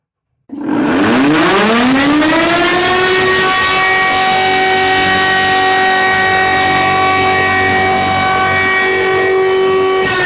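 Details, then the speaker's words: Ford Focus bought about half a year ago, on start-up: loud wailing whine rises quickly in pitch, holds steady, then sags as revs drop; cause unknown. "But now it started keeping strange noise when I started."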